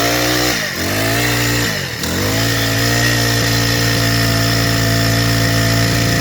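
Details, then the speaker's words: Freshly rebuilt four-stroke engine started after assembly, before tuning; catches, dips twice and bogs before an uneven buzzing run, stumbling and flapping because too much fuel is getting in; rich mixture stumble. "นอหลังจากทำการติดแล้วเราก็มีการปรับจูนนะครับตอนนี้เครื่องมันบอกเราว่าน้ำมันมันลงมากเกินไปมันมีการสะดุดแล้วสกระพือนะครับ"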